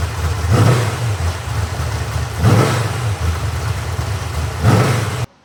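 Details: Freshly rebuilt 1970 Corvette LT1 350 V8 on a test stand, with a rebuilt and tuned Holley 4150 vacuum-secondary carburetor and Walker Dynamax mufflers. Deep burble with three crisp blips about every two seconds, returning to a steady idle without stumbling. Healthy running.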